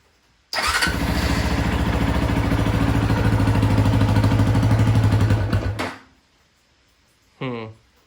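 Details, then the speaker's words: Apollo Blazer 125 ATV with a new carburetor, battery just charged: single cylinder fires and runs a steady low thump about five seconds, then sags and dies; owner suspects fuel loss, leak at the petcock bottom, plans new petcock. "so it's got fuel for a second and then it looks like it's losing fuel"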